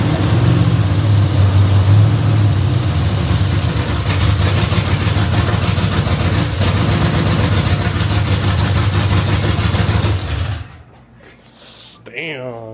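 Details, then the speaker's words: Truck with fresh LQ9 6.0L V8 swap (LS3 heads, TBSS intake, long-tube headers), first run on starting fluid: deep, loud, steadily lumpy V8 idle for ten seconds before shutoff, no knocking or ticking; owner suspects fuel trim needs tuning. Normal running. "Well, there you guys have it. Finally turned on with starting fluid."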